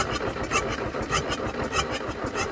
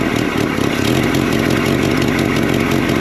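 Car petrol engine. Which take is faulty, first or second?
first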